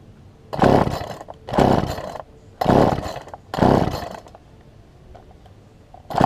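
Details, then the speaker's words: Poulan Pro 18" two-stroke chainsaw, fuel line likely pinched between carburetor and engine: comes up in short revving bursts about once a second, sagging between them, barely staying running; rough running. "I did get it to kick over just a second ago but it wouldn't stay running so see if we get this thing to stay running this time"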